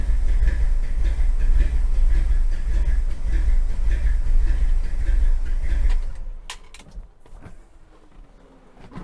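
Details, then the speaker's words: 1957 Chevy V8 long stored, run with fuel pump disconnected because a stuck-open carburetor float is suspected of flooding it: deep idle with a rhythmic, choppy performance-cam lope before shutting off. "So I'm going to try it without the fuel pump and see if it starts. If it does, then my theory's right. Listen to that cam."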